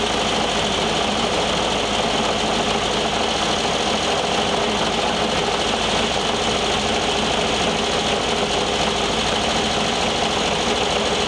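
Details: 1973 VW Thing Type 181 that sat for years, air-cooled engine at a steady idle: a fast, uneven rattle with no clear rhythm. Owner feels something lodged in the cooling fan housing and plans to take the belt off.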